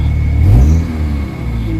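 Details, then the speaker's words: Kia Pride with white smoke, low power and strong vibration, before XADO engine treatment, warm with aircon on: revs up and drops back with an uneven, shaky drone instead of a clean pull; rough running, worn internals suspected. "Pangit yung ano yung ah under ng engine sobrang lakas na ma vibrate ang lakas ng vibrate oh Ang lakas ng vibrate guys So ibig sabihin na hindi maganda yung loob nito"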